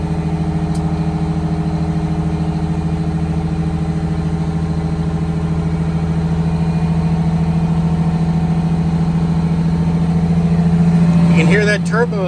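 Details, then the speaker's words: 1962 GM bus conversion with Detroit Diesel 6V92TA, cruise used as fast idle while airing up: steady even raised idle, faint turbo whistle rising; healthy, during air throttle slow-return repair. "We got to start and air up the bus. Cruise doubles as a fast idle on this bus."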